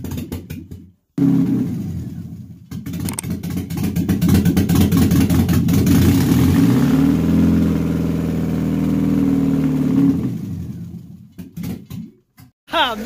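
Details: Mercedes-Benz 124 with freshly installed used imported 2.2 L engine, after gearbox, flywheel and starter fitted: short crank, catches and settles into steady idle with a light rev before shutoff; starts first try, runs cleanly.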